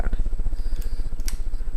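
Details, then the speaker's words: SMC ceiling fan on high speed, around 190 RPM: low rapidly pulsing rumble from very noisy, loud motor bearings, a common SMC problem, not camera shake; blades somewhat bent. "one problem this fan has that's um really bugging me that the bearings are very noisy and that's not the camera shaking by the way that's the fan yeah you can hear the bearings are um quite loud"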